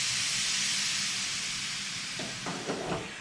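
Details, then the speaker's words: Nissan 300ZX twin turbo, engine off, during boost leak test at about 20 psi with vacuum reference disconnected: steady high hiss as the blow-off valve vents, normal, the only leak found. "the positive pressure in my piping is overcoming the diaphragm in here, and it's causing it to open up and release air."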